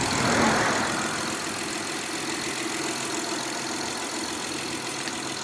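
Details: 2011-2017 Honda Odyssey, first start after timing belt kit replacement (over 12 hours of work): steady, even idle with no knocks or ticks over a light hiss; normal idle.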